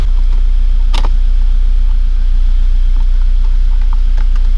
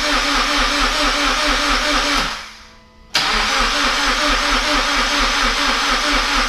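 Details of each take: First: GT86 refitted engine with new forged pistons, rods, valve springs and oil pump, idling to warm up until the fans cut in for coolant bleeding: steady, low, even rumble with no knocks or misses; normal warm-up idle. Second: Toyota GT86 after forged engine internals rebuild and reinstallation, first start attempt: starter spins the engine at a steady, even rhythm for several seconds, stops, cranks again and never catches; no fuel or no spark suspected.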